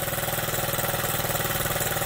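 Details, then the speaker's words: Honda Z50 minibike with a new carburetor and spark plug, first start on the bike: the small single putters along at an even, steady idle with no misses or knocks; it runs clean and healthy. "Listen to that thing. There's no talk. We'll just let that run for a minute or two. Man, I can't wait to ride this thing, huh? Look at this. She runs great."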